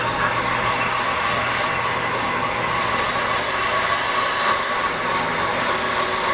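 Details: 1998 Ford Contour brake rotor, causing pulsation, machined on a brake lathe: a steady metallic hiss with a thin high ring as the bit skims it. An even, normal cut.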